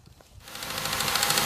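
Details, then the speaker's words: Ford Fusion just after serpentine belt and tensioner replacement, wheel back on: engine runs without squeal, but a light, fast metallic clatter is heard. Owner unsure whether it is knock, lifter noise or power steering. "so as you can see it's running there not even a wheel like I thought there'd be uh there's a little bit I don't know if that's knock or lifter noise but there's definitely some engine clatter"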